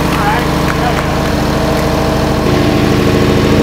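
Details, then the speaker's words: Newly installed forged stroker Ford 4.6 4V boost engine in a turbo Lincoln Mark VIII, first start: loud busy idle with a quick sewing-machine tick on top, valvetrain noise at first, smoking. "it sounded like a sewing machine at first that's gonna take a while"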